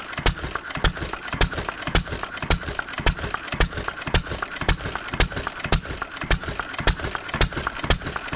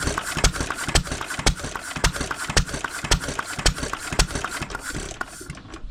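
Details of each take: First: 1920s Taylor Model B hit-and-miss vacuum engine, long sat, running on old gas after the fuel check ball was freed: sharp loud exhaust pops about twice a second with light rattle between; running properly. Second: 1920s Taylor Model B hit-and-miss vacuum engine, long sat, choked on old bad gas after the fuel check ball was freed: sharp uneven putts about twice a second dying away; fires only intermittently, sputtering instead of catching.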